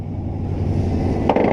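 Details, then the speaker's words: Unidentified truck started after about two years not running: the engine fires readily and settles into a steady, deep, even run, revving cleanly to about 4,500 rpm with no knocks or misses. An exhaust leak was noticed afterwards. Normal start and rev. "Dude, this thing fires up like a fucking treat! Then she'll take 4,500 RPM after what, 2 years of not running, no fucking problem."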